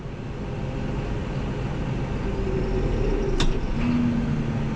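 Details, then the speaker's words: New Holland T8.300 tractor with the park lock coil removed: a deep diesel drone bogs and labours when put in gear, because the park lock is still engaged, and it stops when the clutch pedal is pressed. The fuse no longer blows. "Let me turn this off. Hear the tractor labor down."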